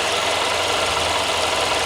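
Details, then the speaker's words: 2014 Audi A1 1.4 TFSI after replacing the gearbox and clutch. A bent metal bracket under the gearbox had rubbed the clutch and was bent clear. Now an even, steady idle with no rubbing, scraping or rattle. "Now it's not in contact with the clutch anymore. So it's not nice and quiet."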